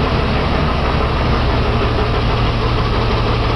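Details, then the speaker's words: Jeep six-cylinder at idle with four spark plugs pulled one at a time, running on only two of six cylinders: low, uneven, lumpy off-balance puttering instead of a smooth hum, yet it keeps running; deliberate misfire on four cylinders. "two out of six cylinders listen to this seems to be going good though running fine on two cylinders"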